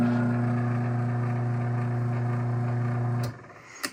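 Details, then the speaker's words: AccessMaster M100 garage door opener from June 2000, originally on a 16x7 Ideal door and mildly restored, runs with a smooth, steady low motor hum, even faint chain ripple and clean stop; healthy normal opener run while held in foam. "Absolutely beautiful machine."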